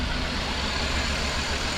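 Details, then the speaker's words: 2001 Chrysler Town & Country at idle, customer complaint of rough shaking idle, code P0353 (coil 3 primary circuit): lumpy, uneven idle with a low thump that skips; coil 3 sparks but cylinder 2 has no spark, coil to be replaced. "and as you can see, it's shaking. But we got spark on number 3. Although we're getting the code 353 that the computer detecting cylinder number 3 is the problem, in reality is this cylinder number 2. We got nothing going on here."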